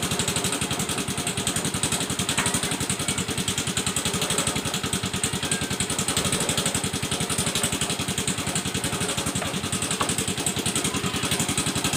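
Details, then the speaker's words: Yamaha Mio M3 125 scooter found with its engine oil dry, just refilled and started: fast, busy metallic clatter over a rough idle, like a helicopter chop, from a worn piston and loose connecting rod knocking; it was hard starting and noisy from late oil changes. "Ini motornya sudah hidup. Tapi bunyinya tuh macam helikopter, Guys, ya. Bunyi keletek kletek kletek ketek keteketek begitu, Guys, ya."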